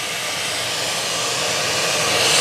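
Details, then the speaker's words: Shop-Vac wet/dry vacuum running through the adapted accessory hose of a Makita 9031 belt sander: steady vacuum roar with a loud, slightly building hiss as air leaks where the hose unscrewed from the threaded insert. "actually, from around here. The hose unscrewed from the threaded insert here."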